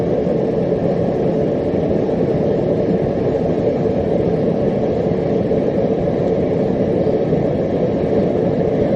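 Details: Homemade gas forge on its first test run, with a drilled-out MIG tip burner (about 1.1) and a 30 lb regulator at about half (roughly 15 lb): a constant roaring rush with no pulsing or popping. The burner runs steadily and healthily.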